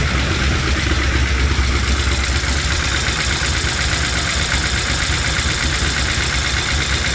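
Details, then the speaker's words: LS-swapped Chevy C10 with new lifters and reinstalled head gaskets and heads: fast light top-end ticking through loud idle; valve train tap persists, code reader shows timing advanced, owner suspects cam was installed mistimed. "all right so we got um still have that that valve train tap and uh my code reader's showing that the timing is advanced"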